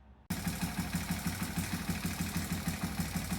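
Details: Yamaha TT-R225 small single at idle, said to have a bottom-end knock: sharp loud ticking about three per second; valve tick from excessive valve lash, fixed by setting intake to .003 and exhaust to .006, then runs great.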